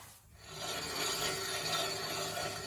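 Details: 2020 Nissan Sentra rolling with a harsh, raspy grinding and a gritty high-pitched edge from worn-out rear brake pads, before the rear brakes are replaced.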